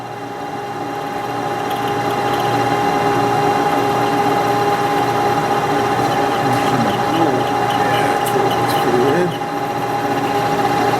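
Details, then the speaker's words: Lathe boring cut on a Wilton bullet vise part: steady, high, piercing squeal, chatter from a boring tool with too large a nose radius and poor side relief. "oh hear that nice squeal right yeah I don't like this the relief on this tool I think I'm going to touch this tool up a little bit so normally you you don't want a large radius on a boring tool for that very reason so it doesn't squeal"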